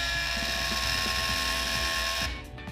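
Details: Rotary hair brush's small motor whines steadily under a loud uneven ratcheting clatter as its broken fan (propeller) strikes while spinning; broken fan rattling.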